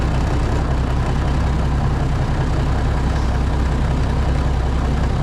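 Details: White Freightliner COE heavy wrecker with an Eaton Fuller Road Ranger gearbox, cold start in freezing weather after sitting: deep, steady diesel rumble with an even beat and no knocks or misses; good oil pressure.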